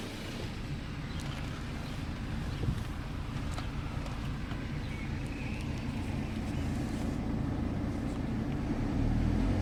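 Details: BMW N47 20d 177 PS diesel at idle, May 2020, about 30,000 km after a January 2019 timing chain replacement, same phone as before: steady, even clatter with no rattle or scraping from the chain end; timing drive sounds healthy.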